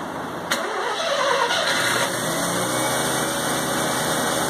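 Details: 1984 Mazda RX-7 12A rotary, revived after sitting 13 years, cold start at 47 degrees on the block and 27 degrees outside: a brief crank, then it catches into a smooth, steady buzzing idle without stumbling. Clean cold start.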